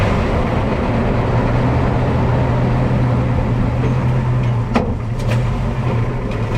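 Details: Low, steady droning groan for a few seconds under braking, fading briefly then returning over road noise; brake noise, cause unclear.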